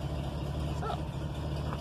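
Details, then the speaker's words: 1974 Ford truck big-block V8 with H-pipe, Flowmaster mufflers and full-length headers, non-factory parts, daily driver: deep, steady idle with even low rumble, no misses or knocks; runs very well. "as you can tell it runs very well"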